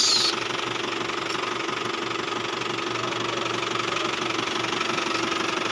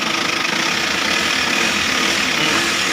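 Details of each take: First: Isuzu Travis diesel at idle, steering noisy when turning, still noisy after a belt replacement: diesel clatter with a steady mid-pitched whine and rough hum; power steering pump bearing noise. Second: Isuzu Travis diesel idling after repairing steering noise heard when turning; bearing no longer stuck: even diesel clatter with no whine or groan. Quiet power steering pump, normal idle.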